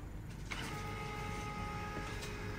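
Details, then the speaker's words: Canon LBP 3500 laser printer test print after fixing E000 0001 alarm (low fuser temperature): click then steady motor whirr with even feed tones and clean run-through; printing normally. "Như vậy là máy nó đã nhận lệnh nha các bạn đó ra nhữn bạn in"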